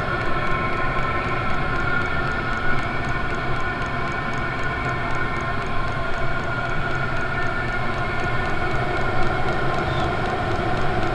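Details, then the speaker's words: 24 V 8 kW all-in-one Chinese diesel parking heater running a few minutes at default setting, outlet about 300 degrees: steady fan rush with fast, even dosing-pump ticking (faster at default rate); running normally. "some air trapped up inside the tube here but you can hear the pump flicking away there it's going to have a quicker rate right at the moment because i did have this thing just turned up on its default setting"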